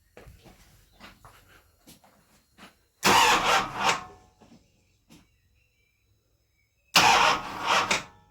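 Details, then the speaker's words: Jaguar XJS V12 cranked with relay unplugged to check for flooding: two short bursts of starter cranking with no firing; cylinders still flooded. "Yeah, still flooded."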